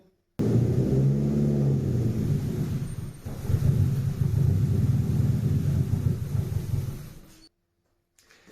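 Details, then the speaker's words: Nissan Pulsar GTI-R engine running as it did before the leaking intake pipe was found: fires, then runs lumpy, surging and sagging, and dies after about seven seconds without throttle; rough running and stalling from an intake air leak. "Based on the last video, it wants to automatically cut out without a little bit of throttle."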